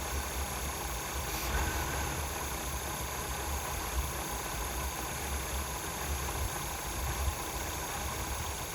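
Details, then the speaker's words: 1977 Pontiac Grand Prix, abandoned non-runner revived, pushed outside after first runs: quiet, smooth, steady V8 idle with no popping or misses; carburetor possibly a little gummy, slight tailpipe condensation, engine judged healthy. "but my Lord, that's quiet. And you know, you got a little bit of condensation dripping out of your tailpipe, but there is plenty coming out of there and zero pop."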